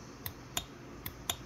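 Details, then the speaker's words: 2002 Mitsubishi Eclipse EVAP purge valve solenoid, bench-tested with the battery negative touched on: four sharp, crisp clicks about every third of a second as it energizes and opens, normal operation; valve holds vacuum, unlike the other one. "you can hear it audibly clicking so I'm going to go ahead and hold the hold the negative on there so it should be open"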